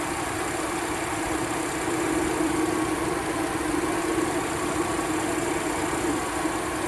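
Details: 2004 Jeep Liberty after no-crank repair, with the regulator plugged back in and the belt refitted: steady, even idle with a smooth constant hum and no knocks or misses; the engine runs healthy.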